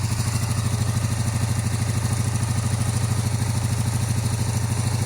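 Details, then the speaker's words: 1982–83 Honda V45 Sabre V4 with carburetors, cold and warming up with heavy smoke: lumpy uneven idle with missing pulses; only cylinders 1 and 4 firing, 2 and 3 dead. "This one's not running. So we have, it's running on 2 cylinders right now. So we have 1 and 4. So something's going on with, what is that, 3 and 2?"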